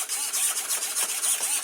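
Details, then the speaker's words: RC car on 2S after its burnt motor was rebuilt, ESC not beeping as usual: short high-pitched whirring bursts, about three per second, as the steering servo sweeps back and forth smoothly; normal servo operation. "So steering works"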